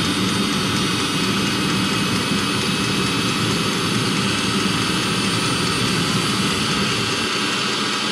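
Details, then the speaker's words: 2016 Mercedes Sprinter (2.1 L four-cylinder diesel) diesel-fired coolant block heater starting up: the fuel pump clicks, then a constant smooth jet-like roar with no pulsing or popping. The burner runs normally, though it sometimes smokes at startup. "That's the fuel pump clicking right there, and it does smoke sometimes."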